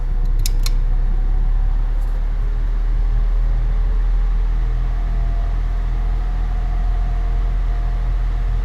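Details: Air Wizard Pro 20-inch wall fan on medium speed: faint, constant motor whine above a low hum that does not go away; the blade is also out of balance.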